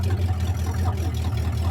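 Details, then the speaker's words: Hot rod "Clyde", on its first drive of the year after winter: a steady low engine drone with uneven rumbling roughness over it while driving; an unidentified noise, and the owner guesses it may be a door squeaking. "Not really sure what that noise is."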